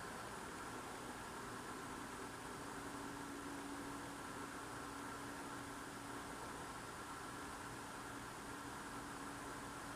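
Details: Loud unidentified droning noise outdoors at night, recorded through a frozen-shut window in freezing cold; the owner says it is not a generator. Faint, steady drone with constant middle tone and hiss; source unknown.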